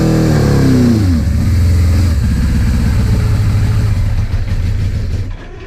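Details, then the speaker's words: Suzuki GS850 motorcycle started right after valve adjustment with head cover refitted, on a small gas container: blipped then falls back to an uneven, wandering lumpy idle; runs poorly, owner suspects carburetor issues, not confirmed. "Still doesn't run great, but that sounds just like some carburetor issues, so I can get that fixed."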